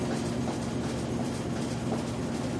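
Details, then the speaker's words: Whirlpool WTW4816FW3 top-load washer bought July 2023, control board replaced three times, small load set to rinse and spin: steady low drum rumble and constant spin tone, no water fill or agitation. It spins a second time and skips the rinse. "So it's spinning a second time, but it hasn't rinsed, even though the setting is rinse and spin. It's like it's doing what it wants to do. It's not rinsing,"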